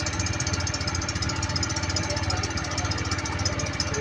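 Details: Honda Click 110 carburetted scooter at idle: a steady metallic scraping rustle on the firing beat, traced under the cover to the rear pulley/clutch set, with the clutch bell cooling fins rubbing.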